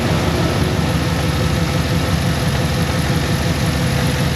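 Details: Cadillac Escalade idling a few minutes after coolant refill during a head gasket block test: steady, even low rumble, no knocks, misses or hunting; head gasket tests good, leaking radiator still pending.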